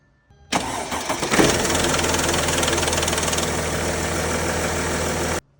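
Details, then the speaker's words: 2012 Mercedes GL350, OM642 3.0 V6 diesel, 160,000 miles, chain replaced 70,000 miles earlier: on cold start it catches after brief cranking and idles with a fast metallic rattle; timing chain rattle on cold start, tensioner or full chain suspected. "So that is the sound from all my research. Very clearly, that is the sound of the timing chain rattling on startup."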